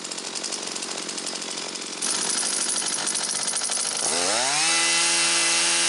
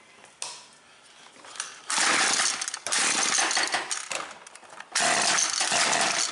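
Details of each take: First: Husqvarna 325P4 pole pruner after the wiring was taped and sleeved, with new fuel lines, fuel filter and purge bulb: steady buzzing idle, then a clean rev to an even high scream with no stumbling; runs properly. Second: Husqvarna 325P4 pole pruner, intermittent no-start: it cranks fine for a couple of pulls, then catches in ragged bursts and sputters. At first a fouled plug was suspected; protective insulation had slid up and the plug wire was chafed. Severe ignition misfire.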